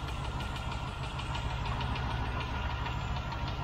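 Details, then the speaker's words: Rover V8 idling after half a mile from a cold start, with a light, uneven tick from a single faulty hydraulic tappet over the rumble. Oil pressure is good, the tick rises with revs, and the exhaust manifold must be checked for leaks. "i've literally done half a mile in this since i started out from cold this morning and you can hear just one tapping it's around here somewhere just one tap"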